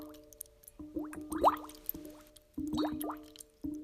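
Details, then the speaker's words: Under-slab water leak in a residential or commercial property, air injected into the line, heard through soil probe and deck plate: bubbling, gurgling boil with bursts of rising tones over a low hum; leak located. "we then listen with the soil probe and deck plate for the distinct boil which we will hear now"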